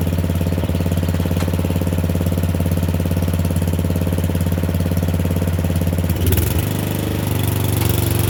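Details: Murray Select 30-inch riding mower on a driveway test drive: a steady, even low single-cylinder putter with a brief pitch dip near the end. It runs okay and a little better; owner notes carburetor and gas tank issues.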